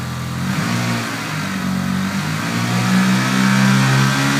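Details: 1995 Eclipse GSX, 137k miles, new 16G turbo, 3-inch exhaust, being revved: rough fast tapping that follows revs; knock or tick of unknown source, previous owner suspects a spun bearing, bent valve also questioned.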